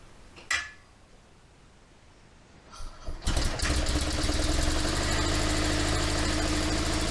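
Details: 1972 Invacar Model 70 engine after the loose 27 mm main pulley bolt was tightened: a click, a short crank, then it catches and settles into a steady, even idle at roughly four beats a second; normal idle.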